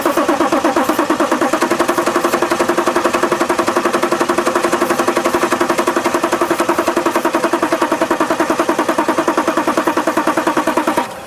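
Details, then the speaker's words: 2011 BMW X5 3.0 L diesel, crank-no-start, starting fluid sprayed into the intake tube and accelerator pressed: steady fast cranking about three and a half beats a second, a few catches but never runs; engine sounds mechanically fine. "very odd very odd it doesn't start with starting fluid I mean the engine sounds good"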